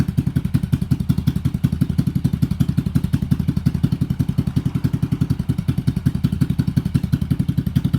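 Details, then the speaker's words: 1986 Yamaha XV750 Virago, first spring start, Gen1 KJS single carb manifold replacing homemade one, choke disconnected, slightly rich: even, steady low pulsing idle, both cylinders firing cleanly; normal idle. "it actually sounds pretty good compared to my homemade manifold I had on there sounds like both cylinders are firing pretty"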